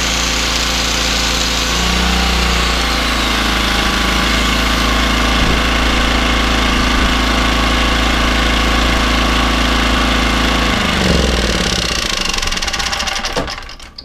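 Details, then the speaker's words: Small generator after carb clean, running steadily with a light rattle about four times a second before shutting down; something inside suspected to have come loose. Rattle. "a noise I think summits come loose in here if it make his Benini and some has come loose"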